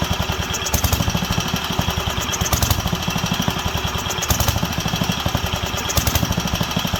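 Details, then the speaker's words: Wisconsin AENL single-cylinder barn-find engine, first run in 20+ years after restoring spark and cleaning carb and fuel system: rapid firing that rises and falls every couple of seconds, hunting, leaning out and coming back; needle possibly needs replacing. "but it's leaning out coming back leaning out coming back so we'll give that a shot let's try it again"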